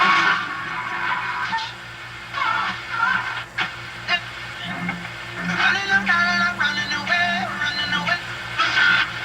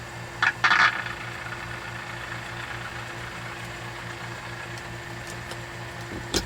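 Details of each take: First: RCA 2-XF-91 radio on FM after fixing the chassis/frame ground connection: clean music plays steadily with no crackle or hiss bursts; normal FM reception. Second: RCA model 2-XF-91 tube radio under repair, fitted with a 50C5 output tube: low steady hum with faint buzz under quiet hiss; owner blames noise from a nearby dehumidifier and a switching power supply, interference.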